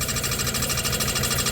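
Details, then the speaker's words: 1991 Dodge Grand Caravan SE after 21 years abandoned, first start: rapid even scraping tick at idle keeping pace with engine speed; new oil pan suspected rubbing on flex plate or bell housing, lifters sound fine. "Where's that noise coming from? I think it's rubbing. I think it's the new oil pan rubbing on the bell housing or the flex plate."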